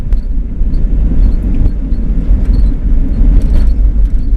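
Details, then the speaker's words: 2000 Jeep Cherokee with solid axles, a right-hand-drive Japanese-market export, driven over a bumpy test road: only deep road rumble and soft thumps over the bumps, with no squeaks, clunks or rattles. No squeaks or rattles. "this is my rattle road I used this road to listen foot squeaks and rattles if you guys can hear anything going on through the speaker there through the mic but uh boy the Jeep just takes it nice takes these bumps real nice"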